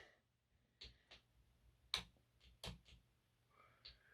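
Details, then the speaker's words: Peco point motor number three on a model railway after re-wiring: several sharp, uneven solenoid snaps, some weak and doubled, as it fails to fire and throw properly. "it's point number three that i've got a problem with now point number three is not firing properly now"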